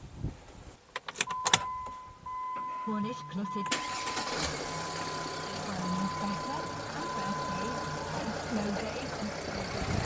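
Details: Jeep Grand Cherokee 3.0 CRD, Mercedes OM642 diesel, started after an oil and MANN filter change with 5W-30, still warm: warning chime, cranks, catches quickly and settles into a steady, even idle with no knocks; oil pressure light briefly on then out, no leaks.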